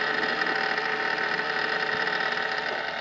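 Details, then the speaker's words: Failed internal fan in a Sovol 3D filament dryer: loud, steady, high gritty whir from a worn bearing, later replaced with a 4010 hydraulic-bearing fan. "So this is my Soval 3D filament dryer and the fan inside of it has failed it's really loud just grinds whenever"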